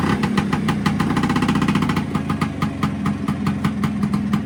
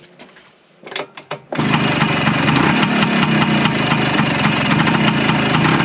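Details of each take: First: Vespa with Cosa clutch after fitting SIP CR80-style clutch friction plates, running in first gear with the clutch lever pulled in: steady, even two-stroke idle holding its revs with no bogging or stumbling, so the clutch no longer drags. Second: Warm Vespa PX with Cosa clutch, in first gear with the clutch lever fully pulled in and the brake applied: two-stroke runs steady then dies abruptly; the clutch drags so badly the scooter tries to move and stalls the engine.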